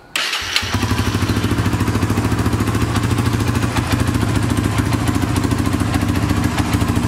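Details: 2006 Honda TRX300EX single, cold, after starter and one-way bearing work: starter whirs briefly, then the engine catches and settles into a steady, even thumping idle with no knocks, healthy.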